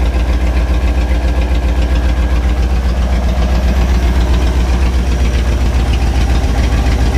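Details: 1967 Chevy C10 truck's 327 V8 (11,200 miles) on first start after 33 years parked, timing and idle adjusted; loud, steady lumpy idle with even beat, no exhaust fitted so it sounds loud; healthy, normal idle.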